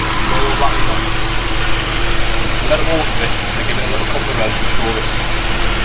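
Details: 1978 Jaguar XJ6 Series 2 barn find, off road 24 years, after engine strip-down and repair of a loud rattle: smooth, even idle with steady low rumble and no rattle or knock while warming up; engine running cleanly.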